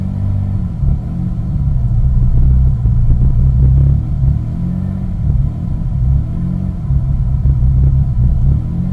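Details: 2001 Mitsubishi Eclipse GT V6 at cold start: a deep, uneven rumble at idle that surges and stumbles, a rough cold idle that turns normal once warmed up; the cause is unknown.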